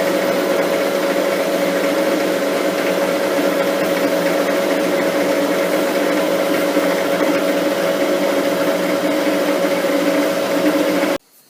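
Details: Lathe turning a lapping-arbor shaft on light cuts, speed slowed slightly: a steady ringing tone over the cutting noise as the workpiece starts to chatter; a steady rest greatly improved it.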